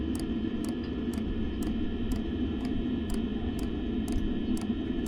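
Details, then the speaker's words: Unmodified caravan diesel heater fuel dosing pump, recorded outside right next to it with the exhaust running. Crisp, even ticks about twice a second over a steady exhaust drone, audible but not overpowering: normal pump ticking. "okay we can hear it it's not overpowering but we can hear it so we're going to see what we can do about that"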